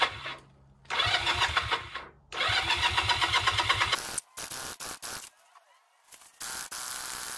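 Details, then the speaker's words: Honda CM motorcycle starting after exhaust wrap job on a cold day: several seconds of uneven cranking, then catches and stumbles in patchy bursts; owner notes an issue, cause not identified. Rough start. "sounds like we've got a car issue there at least it runs"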